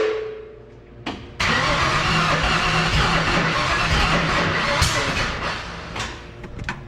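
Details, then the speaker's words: 1966 Mustang start attempt after about 40 years, fuel sprayed in: sharp pop through the carburetor as cranking begins, then loud rough churning that never settles; ignition timing out. "okay so it popped through the carb definitely out of time darn it"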